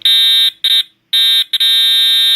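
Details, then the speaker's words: EST Edwards Integrity 757-7A-T horn strobe, jumpers set to continuous tone at low volume, horn and strobe tested together: loud shrill high-pitched horn blares in bursts then holds one steady tone; normal continuous horn tone. "that's really loud thank God I do the hearing protection on my ears now"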